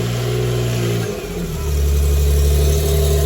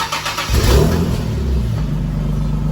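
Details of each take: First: G37S with aftermarket exhaust test pipes after replacing the cheap leaking gaskets with OEM gaskets and retightening the bolts. At startup it settles into a steady, smooth, low idle with no ticking or puffing from the manifold. Normal running exhaust after the repair. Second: Infiniti G37S V6 with headers and exhaust test pipes: startup settling into a loud, raw idle with an exhaust leak from the cheap gaskets supplied with the test pipes, before replacement with OEM gaskets.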